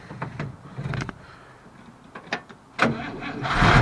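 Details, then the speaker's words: 1955 Oldsmobile Super 88, 324 4-bbl Rocket V8, Hydramatic, transmission linkage just adjusted into neutral: a few clicks, then the starter spins briefly and the V8 fires almost at once without pumping the gas; normal starter cranking. "Look at that. Starter works. That's awesome. That was super quick. That was way, way better than it was."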